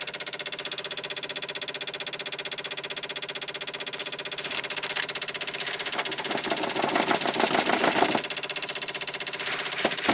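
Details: 1995 Dodge Ram V10 cold no-start, engine off: sharp steady clicking about three a second, ASD and fuel pump relays chattering as PCM 8-volt reference sags; unplugging ignition module stopped clicking, 8-volt fell to 3.6, control pin 12 volts; bad PCM suspected.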